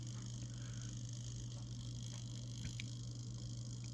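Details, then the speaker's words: Legault CS401 time-delay safe lock just wound: faint, even ticks over a low steady hum as the delay timer runs down normally, of unknown duration, perhaps 5 to 10 minutes. "I don't know if you can hear that ticking. And then you have to wait for that to end."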